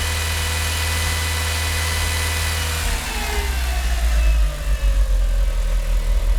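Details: Mitsubishi Evo IX MR with a flashed ECU: rough, shaky idle that surges and dips unevenly between 500 and 800 rpm and never settles. It sometimes drops to 400 rpm after high revs. New spark plugs did not fix it, no vacuum leaks were found, and it runs fine off idle.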